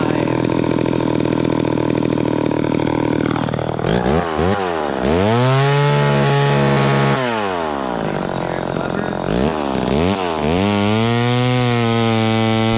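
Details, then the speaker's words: Vintage chainsaw cutting wood after high-speed mixture richened slightly: revs up cleanly and pulls steadily through the wood without bogging, then drops back smoothly; running properly under load. "there that seems right to me it was it was cutting okay the first time but then i rich ended up just a little more on the high end and it seemed to be a little happier there"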